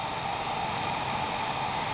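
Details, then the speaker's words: Be Quiet! Dark Power Pro 10 750W 80 Plus Gold PSU fan, camera held close, while the system ramps to load: an even airy whoosh with a faint steady tone, fan speed barely rising from idle; normal fan running. "here's what it sounds like on the power supply you see that the fan speed didn't really speed up as much uh from the uh idle position"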